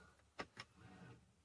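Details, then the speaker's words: 2011 Jeep Wrangler Rubicon differential locker: two quick clicks a fifth of a second apart, then a brief soft whir as the actuator engages and releases. It works, though the indicator light still flashes; the front diff locker still isn't working. "working you can hear it but the light still flashes i don't know why but it's obviously working you can hear it engage and disengage so that's cool"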